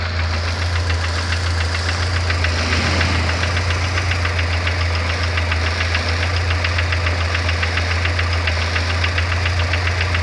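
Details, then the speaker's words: Chevrolet Vectra with 324,000 km, warm petrol engine idling: sharp, steady metallic tapping about 3.5 knocks per second, louder once the engine heats up, diagnosed as piston pin (wrist pin) and piston skirt knock. "então isso é um barulho de pino de pistão saia de pistão"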